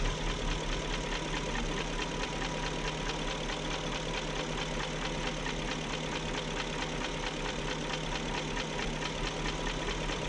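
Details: 2001 BMW E38 740i at steady idle after VANOS rebuild: light ticking about two a second, not quite even, from the top of the engine; no codes, cause unclear.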